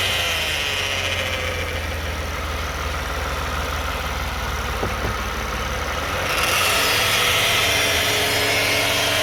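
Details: 2009 Toyota Sienna FWD idling in park after a transmission drain and fill. A constant buzzing whine rides over a steady idle, possibly the transmission pump, torque converter or bearings. The flex plate is thought okay; cause not confirmed.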